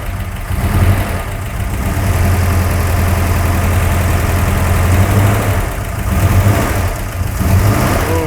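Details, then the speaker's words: C10 Squarebody with a freshly installed ~600 hp big-block Chevy, just after swapped plug wires 3 and 7 were corrected: a deep, lumpy, even idle rumble that is now normal. "she sounds a little different now. Woo! Listen to this thing, dude."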